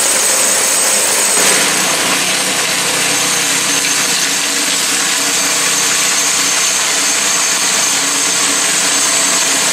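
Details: New Predator 212cc 6.5 hp engine on snow blower, replacing 40-year-old engine with failed carburetor, blowing snow: steady even hiss and hum, no surging, misses or knocks under load; working better than in three years.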